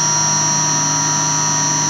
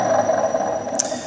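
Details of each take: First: 1966 Hitachi three-phase lathe motor on a VFD, after replacing groaning, howling bearings with NTN 6306 units and cleaning the coils: steady even hum with constant electrical whine, no bearing noise; healthy running after repair. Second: 1966 Hitachi 1.5 hp three-phase lathe motor on a VFD, quiet for 30–45 seconds then suddenly loud: steady loud hum with a harsh high howl riding on it; worn motor bearings suspected, later replaced with NTN 6306.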